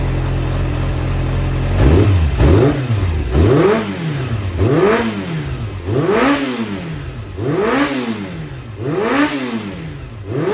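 Clean, even rev blips roughly every second and a half rise and fall smoothly with no knock or rattle; a healthy engine.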